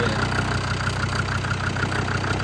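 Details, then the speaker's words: Land Rover TD5 diesel at idle after viscous fan bearing replacement: light, quick, regular metallic rattle over the diesel clatter, something loose vibrating, suspected to be a cover. "hold on fire up the CH boat something rattling is something to do with this cover"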